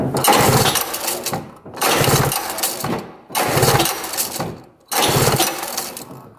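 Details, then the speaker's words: 1970 Arctic Cat Panther 340cc snowmobile, sat untouched 30 years, believed to have points ignition, black wires disconnected; four cranking bursts about 1.5 seconds each, spins evenly but never fires; no spark found, stator voltage to be checked next. "doesn't look like you're getting anything let's see if I turn the key over to start"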